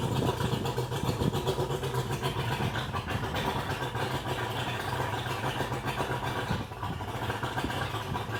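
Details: 2001 Mercury 200hp EFI outboard on a ProCraft, running on the hose, with loss of power and unable to exceed 7 mph; new ECU, power pack, coils, wires and plugs, injectors never cleaned. Lumpy, uneven beat with dips; suspected not firing on all cylinders.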